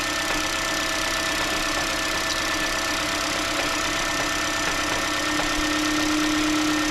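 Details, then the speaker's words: 2015 Honda Jade hybrid with misfires: with injectors cut one at a time, an uneven rattling clatter of about three a second starts over a slightly rough idle, coming from the gearbox side; diagnosed as the damper disc. Injectors 2 and 3 were found dripping. "выключаю по форсунке и вот начинается вот этот звук звук идёт с той стороны с коробки откуда-то Ну это демфер"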